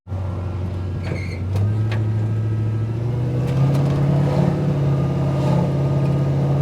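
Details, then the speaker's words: 1968 Chevy truck LS swap (5.3, Turbo 400, 600-lift cam), speed-density tune, after IAC adjustment: under steady throttle the engine note steps cleanly into second then third with no flare or slipping; normal upshifts, fuel tables still about 5% rich. "that fixed it yep there second third yeah I fixed it good deal"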